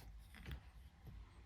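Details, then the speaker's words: Knee scooter during brake pad adjustment, top tightened slightly: soft rhythmic scrape about twice a second as the wheel rolls, a rub each turn; brake pad sticking and dragging on the wheel. "okay sticking you can hear it you can actually hear it when"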